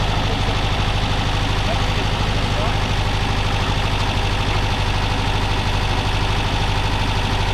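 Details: Porsche 914 flat-four with carburetors, first start after preventive maintenance: a low, uneven idle with a steady stumble about twice a second, running on three cylinders because one spark plug lead came off.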